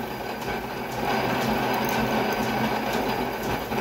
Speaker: they are very very light pressure it's just going right in it's not snagging